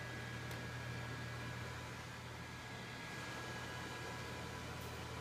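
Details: ASUS M11AD-US006O desktop: constant whooshing fan rush with a faint high whine, too loud to talk on the phone nearby; loud fan noise.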